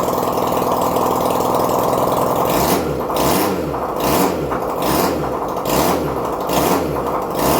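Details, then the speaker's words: 1971 Honda CD175 K3 twin being restored, first start after wiring issue fixed: fires up and holds a steady idle with a gentle, regular pulse and no mechanical noise; normal idle. "Well, oh boy, am I over the moon about that. Uh, happy ending to a happy weekend, guys. She's running."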